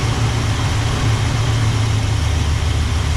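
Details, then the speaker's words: Small block 350 in a C10, hot engine, distributor loosened to set initial timing: deep steady idle sounding heavy and loaded down until the distributor is turned to advance the spark. Labored idle from retarded ignition timing. "see how that's loaded down put up a little bit up a little bit more what that's doing is advancing the timing on the spark"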